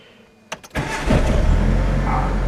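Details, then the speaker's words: Mitsubishi 4G92 after repair for poor acceleration, unstable idle, stumbling and rev swing (coil, plug wires and plugs replaced): cold 7 a.m. start with the temperature gauge at minimum; brief crank, then a smooth, steady idle with no swing. "ก็เดินนิ่งนะครับอย่าตื่นรอบเดือนนิ่งนะstartอยู่ดูอุณหภูมิข้างๆลูกยังขึ้นสุดอยู่เลย"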